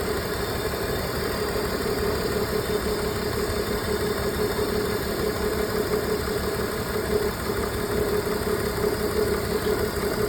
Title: BMW e46 misfire (check on)